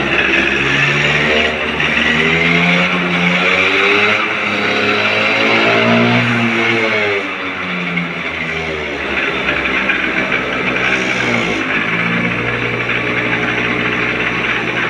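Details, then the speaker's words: 30-year-old TVS Scooty ES scooter just started after fixing its starting problem by refitting the spark plug and cap. Small single revs up and eases down with an even buzzing beat and no stumbling; starts and runs cleanly. "গাড়ি আমার start হয়ে গেছে।"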